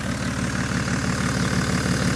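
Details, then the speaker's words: BMW E60 535d, 286 HP M57D30 diesel, in for overheating and excessive coolant pressure (head gasket or cracked heads suspected): steady gruff idle, even low pulses, no knock or miss, louder than usual; suspected missing DPF, not confirmed. "But just show you the car runs. It's a little bit loud, but I guess he doesn't have DPF or stuff like this."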